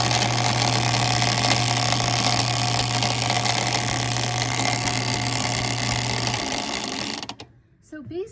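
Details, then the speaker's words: Reece industrial buttonhole machine: fast, even needle chatter with a steady hum runs on without pausing; it used to sew one buttonhole and stop, but now keeps sewing until switched off. Buttonhole machine not stopping after cycle. "So it used to just sew one buttonhole and then it would stop. But now it doesn't stop. And unless I turn it off, it just keeps sewing this button like over and ov"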